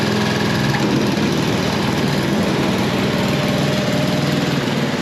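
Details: Snow blower after belt replacement, shroud off for testing: the small engine runs at an even, steady speed with a constant buzz and no misses or knocks. Normal running.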